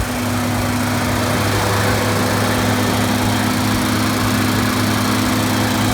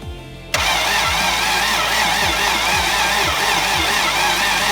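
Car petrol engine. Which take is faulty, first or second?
second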